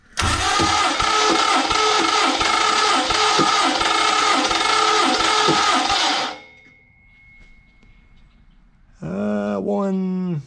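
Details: 1974 Mopar 400 big block on engine stand, fuel and water pumps off, cranking compression test, rings possibly not seated: steady cranking, about four compression beats a second under harsh gritty whir; owner says starter and flywheel sound rough.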